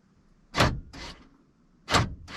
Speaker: There's one. I just didn't hold it down long enough, I guess. Did you guys hear it unlock and lock?